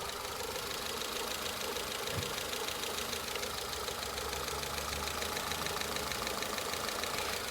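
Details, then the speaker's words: 2005 Peugeot 206 with a 1.4 or 1.6 petrol engine and codes P0204, P0300 and P1336. It still idles rough, uneven and stumbling after the codes were cleared. The mechanic suspects one injector isn't firing and plans to check its resistance. "so you can hear it's still a bit rough at the moment"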